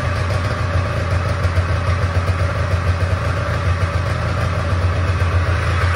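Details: Old Polaris Trans Sport two-up long-track two-stroke snowmobile, unrun 10 years, after fuel system work: steady even low burble at idle, no misses; thermometer readings ~203 and ~224 show both cylinders firing, but too loud.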